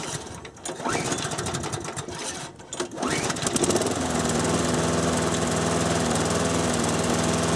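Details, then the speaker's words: 6 hp Briggs & Stratton mower on a Murray deck after the third governor adjustment (rod bent, spring shortened): choppy cranking and catching, then it revs from low to a steady, higher-pitched drone; governed speed raised. "Okay. I hope you could even hear a difference. I think you can. Let's listen to the very first clip of when I started. And now from just a moment ago. Yeah, definitely a change in tone right there."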